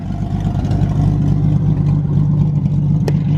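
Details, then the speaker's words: $500 Mustang drift kart with a V8 on its first road test, just started and running much better; deep, steady rumble with an even beat and no stumbles or skips, a clean-running engine. "running much better I'll tell you what it definitely mean it plugs no matter what but"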